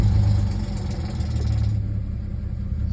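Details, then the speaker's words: 2010 Audi A6 C7 S line 3.0 supercharged V6 at startup idle, shaking heavily: low uneven stumbling lope of a multiple-cylinder misfire with rough idle; codes P0300, P0304, P0305, check-engine light, EPC and traction lights follow. "as I started up car is going to shake a lot and we're going to try to figure out what's wrong with it"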